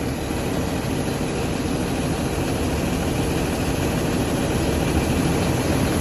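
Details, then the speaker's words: RV diesel engine after desiccant filter replacement on air system, started with no air pressure, heard from the rear: steady idle with smooth airy pumping, relief valve discharge heard, considered normal; compressor building pressure normally. "see I can hear air compressing inside okay I don't do hear an early but I think it's the uh discharge for the yeah yeah I think it's the relief valve which is normal"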